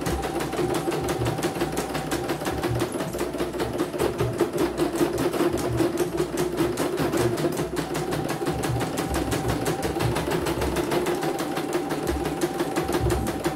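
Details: CNY embroidery machine (M21 label) sent in fully jammed with heavy rotation; after replacing the motor (dinamo): steady stitching chatter about 2.5 beats per second, faint motor hum, no jams, normal.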